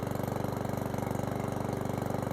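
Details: Certified 150cc lawnmower engine idling after an oil change: even, quick low putter at steady idle with no misses, knocks or surging, no exhaust smoke; idles cleanly.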